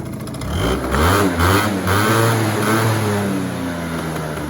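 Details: Yamaha Zuma 50 two-stroke scooter, about 80 miles ridden by owner, new belt and air filter: blips up then settles into an even idle with pitch sweeping down smoothly; starter clutch noise present, runs fine at idle.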